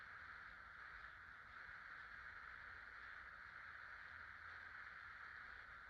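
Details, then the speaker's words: 50-inch Casablanca Delta II ceiling fan with an Emerson K55 motor, dated September 24, 1996, with five blades on low speed after replacing faulty original bearings: a quiet, steady whir with no ticking or grinding. It runs normally. "Hi, here's a Casablanca Delta II fan, this time with new bearings. I'll go ahead and turn it on low."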